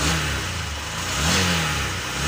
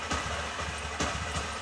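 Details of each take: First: Honda SP BS6 motorcycle, 3381 km, that had misfiring and hard starting, after injector replacement: catches and revs cleanly, pitch rising and falling smoothly with throttle, no misfire or stumble; normal start and rev. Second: Honda SP BS6 motorcycle, 3381 km, starting trouble and poor pickup, stalling on throttle: rough uneven idle with irregular stumbling bursts on throttle blips instead of clean revs; misfire.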